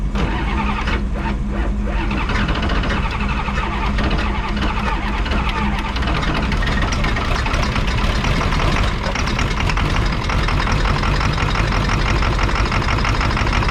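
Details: Ford 7.3 diesel, sat for years, rebuilt turbo, cranked cold with ether after glow plug wait, air cleaner boot off; loud continuous clatter, rough and uneven at first then steadying, hard cold start.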